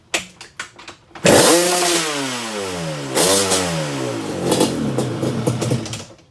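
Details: Yamaha Banshee, 4 mm overbore, first start after engine rebuild: dead-silent pauses after a few kicks, then it barks into a crisp ringing two-stroke rev that rises and falls cleanly; healthy fresh build.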